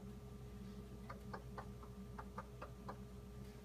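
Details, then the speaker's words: Whirlpool WRF736SDAM bottom-freezer fridge, knocking since its first day: light sharp knocks about four a second over steady hum, several times daily for an hour or more; Whirlpool called it normal; cause undetermined. "th 2015 it started making this knocking noise that you can hear here it happens several times a day for an hour and plus at a time"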